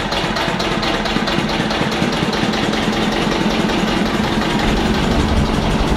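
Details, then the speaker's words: Diesel engine at operating temperature (about 80°C), fixed 3 kW load, running on half a litre of normal diesel as baseline for a crude-oil/kerosene fuel test; steady, even drone with constant hum, no knocks or misses; ran 24 minutes. "we've got a fixed load of three kilowatts so i'll pause this we'll fire it up with the half liter in it and start the timer it's 10 51. we've got half a liter of normal diesel in there we're firing it up now"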